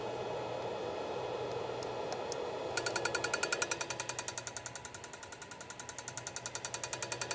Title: Moving head ticking sound